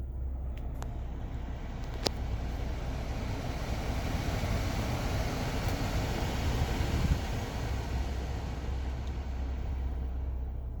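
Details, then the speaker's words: 2017 Toyota Sienna AC blower fan after replacing the blower motor, which had been noisy because it came loose: steady even rush of air with no rattle, squeal or ticking, normal quiet blower operation. "the noise is gone so that's how you replace a ac blow motor on a sienna"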